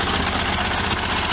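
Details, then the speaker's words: 1973 VW Super Beetle flat-four, warmed up after a short drive, following exhaust gasket modifications: steady, even idle with consistent chatter and no misses or knocks. Runs smoothly. "a feel for what it sounds like smooth move"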